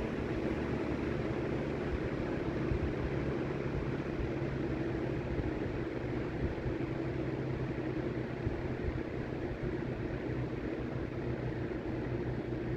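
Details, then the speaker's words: Late-1950s Sears Homart 20" box fan, model 480-9360-6, universal motor, Venturi shroud, on low speed after motor rebuild with bearings cleaned and oiled. Steady even whoosh and soft hum, no buzz; formerly humming, grinding buzz, now much quieter. "and that is much quieter than it was before before it just made like an awful like humming almost grinding buzzing sound I'm very very happy how that turned out"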